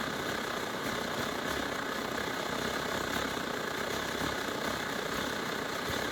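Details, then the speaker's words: Late-model SVEA 123R stove (circa 2014), before repair, just after alcohol priming, with yellow flame instead of blue: hissing roar broken by uneven puffs and sputters, sputtering burner. "See how it's sputtering like that?"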